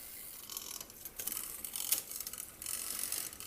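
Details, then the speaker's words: Old bike, cranks turning during front derailleur adjustment: light, high-pitched scraping and ticking as the chain rubs on the chainring/derailleur; screwing the set screw further in makes the chain want to pop off, so a compromise setting is needed. "Because it's also an old system, it's rubbing. You can hear the chain rubbing on that chain ring."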